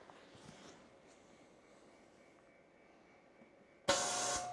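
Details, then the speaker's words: Electric air compressor restarted via smart switch after power was cut mid-cycle, leaving head pressure trapped between check valve and motor: sudden loud steady hum that never spins up; motor stalled, could blow the breaker; mechanical unloader valve relieves it. "doesn't work it just hums so I turn it off right away to not do any damage it would probably blow the breaker"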